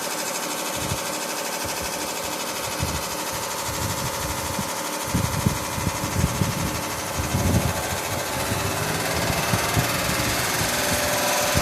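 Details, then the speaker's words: 1986 Carrier Siesta 6100 BTU window air conditioner on fast fan, blowing cold: uneven lawnmower-like clattering over fan hum; rusted-off lower radiator mount lets the fan blade strike its guard. "all right sounds like a lawnmower"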